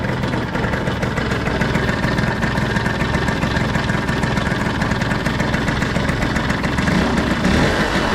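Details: Piaggio Skipper 150cc scooter after rebuild, cool morning: steady, even idle with a smooth low putter and no knocking or rattling; normal idle.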